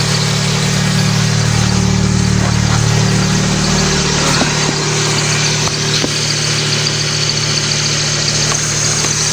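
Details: Engine started after the alternator bracket was realigned with the harmonic balancer: it settles into a smooth, even idle with a steady hum and no knocks, slaps or squeals, sounding healthy.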